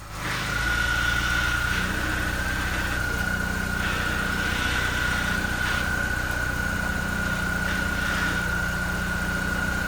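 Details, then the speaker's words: 2005 Mini Cooper S petrol engine at idle, just started after intake hose replacement: a steady, piercing high-pitched squeal holding one pitch, described as a pretty serious squeak from the passenger side. "You may be able to hear there's a pretty serious squeak on the passenger side."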